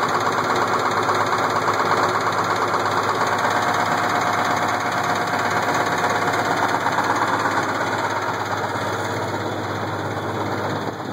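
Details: Case IH 1680 combine with 8.3L Cummins diesel idling, steady clacking knock about three per second in time with the engine, began slow then worsened; timing cover removal found cracked cam gear with missing teeth.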